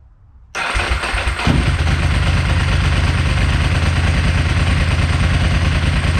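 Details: Ducati 999 twin, after fixing loose wires following being stranded, start: starter whirs briefly, fires at once and settles into a steady, even lumpy idle; normal start and idle.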